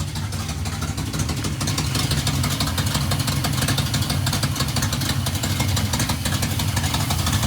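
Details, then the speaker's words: 1971 Plymouth Satellite 318 V8 with a newly fitted Thermoquad: stumbling, lumpy, uneven idle. Brake-clean spray found no vacuum leak at the adapter; it seems to be running rich, possibly with slightly fouled plugs. "Running terrible, so I'm going to try adjusting the idle mixture. I'm going to use a little brake link, see if I've got a little vacuum leak around that adapter, because it's running really rough."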